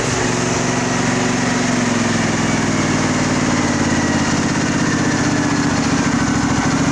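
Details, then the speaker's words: Craftsman riding mower, Briggs V-twin, shroud off, throttle eased down slowly: loud steady smooth drone with no misses, revs properly, though it stalls on reaching idle; owner suspects a little dirt in the carburetor. "I'll run it down slow. Actually sounds really good."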